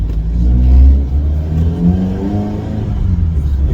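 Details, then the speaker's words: 1986 Ford Cortina P100, 1.6 Pinto petrol, on the road at the start of a 250-mile drive home: deep, loud exhaust rumble rising and falling with throttle under acceleration, far noisier than it should be; exhaust drags from low ground clearance. "know listen to that noisy bugger ain't it"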